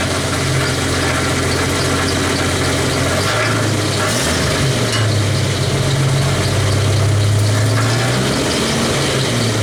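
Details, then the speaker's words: 1991 Jeep Wrangler YJ at idle: fast uneven tinny rattle, about three or four a second, over a steady low idle; broken catalytic converter internals rattling, not a loose hanger, later removed. "i figured it out that it was inside this right here so i'm gonna start it up so if it makes all that rattle sound so you guys can you know get an idea what i'm talking about"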